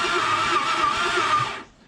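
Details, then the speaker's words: Ford 302 Cleveland V8 donor engine for a P6 LTD, partially stripped and rat-infested, unstarted for 20 years, battery just connected before first start: starter cranks about a second and a half with an even pulsing beat, no misses, fair compression; normal cranking. "so i think we're good to go sounds like it's got a fair bit of compression too compression yeah yeah that's not a bad thing at all"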